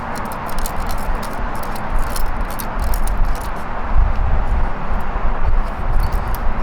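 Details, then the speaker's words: Door lock module removed from a Jaguar whose door locks stopped working, shaken by hand: loose, irregular rattle of something free inside; broken internal part. "sounds like something broke inside of there thank you well made in Germany"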